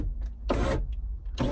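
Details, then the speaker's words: Ferrari 308 passenger-side electric window motor: two short, strained whirs as the glass creeps slowly, because the window is binding as it travels; the glass may be skewed, and lubrication and grease are planned. "right as you can hear it's binding so I am going to literally grease her up again"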